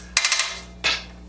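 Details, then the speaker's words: Reelcraft spring-driven hose reel with a ratchet latch: as the hose is pulled out, four sharp metallic clicks and then one more come as the latch catches and holds the hose at length. This is normal ratchet latch action. "latch mechanism will engage, again holding the hose at the desired length. Another pull on the hose, past the last clicking sound, and the hose retracts the whole length."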